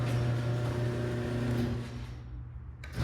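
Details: House inspection at 825 Jane Ave, garage door opener: steady, even motor hum runs smoothly for a couple of seconds then winds down; opener works normally.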